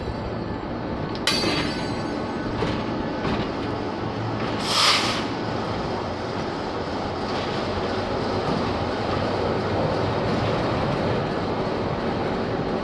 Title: Passou estralando - making noise